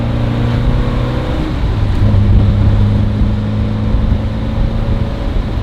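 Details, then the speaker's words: Vintage BMW 2002 petrol engine after new carburetor gaskets, new spark plugs and a retune; it had been misfiring and lagging. Now a deep, steady drone pulls strongly and evenly under acceleration with no stumble or hesitation: normal acceleration. "Oh, that's a good sign. That's a good sign. It's not lagging as much. No, it's not lagging at all like it did before."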